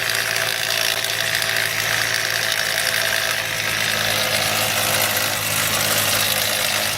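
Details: 2007 Nissan Frontier 2.5 bought as bad engine, long stored, pitch-black oil, first start: constant hissing, ticking top-end chatter over faint idle; owner expects noise to clear once oil circulates, cause unconfirmed.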